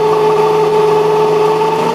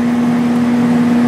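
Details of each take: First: 1995 Sharp Comfort Touch 10,500 BTU air conditioner: steady fan motor hum with a rough, dry whirring, and the pitch sags partway. The worn, dry ball bearings needed oil and were ultimately replaced as beyond oiling. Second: 1995 Sharp Comfort Touch 8,500 BTU air conditioner, before cleaning: steady even low hum with smooth fan rush and no knocks or rattles; compressor running quietly, normal running.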